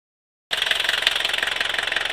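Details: 1982 Mercedes W123 200D, OM615 diesel, at idle: sharp metallic knocks about fourteen a second over the diesel clatter; a strange, persistent knock of unknown origin.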